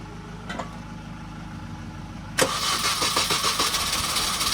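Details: Supercharged Mini project that cranked but wouldn't start. This first start comes after refitting a part that wasn't quite flush. Quiet hum, quick crank, then it catches into a busy, fairly even idle. Smoke followed from oil spilled on the exhaust.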